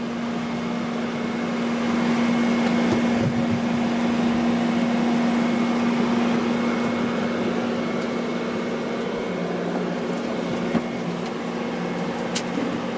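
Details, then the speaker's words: Roof fan installed on a 4x4 pop-up truck camper, running to draw in the canvas when closing; quiet steady hum with soft airy rush, noticeably low noise level, working normally. "And when I installed it right away, I noticed that the noise level on this was very low compared to the one that I saw."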